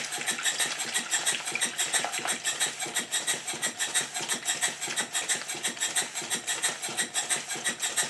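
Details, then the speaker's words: Southworth duplex boiler feed pump running on compressed air after the water outlet problem was fixed and the valve timing set: crisp, even exhaust beats at about ninety a minute, steady spacing and equal strength, almost locomotive-like; normal, even running. "you should now also notice that the engine sounds different the beats are much more even and it sounds a bit like a [Music] motive"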